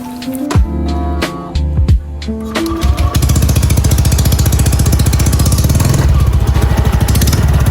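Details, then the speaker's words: Honda Beat Deluxe scooter being revved: a fast, dry crackling rattle from the front of the CVT, likely the front pulley, caused by a worn, loose roller slider. "Jadi kayak gitu suaranya ya, Teman-teman ya. Sangat mengganggu sekali. Ini suaranya itu terdengar dari depan kemungkinan dari puli depan ya, Teman-teman ya."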